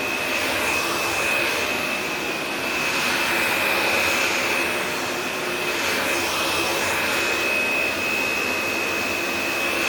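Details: Shark Navigator upright vacuum on carpet: steady high-pitched motor whine with even airflow rush, no rattles or surging; normal running.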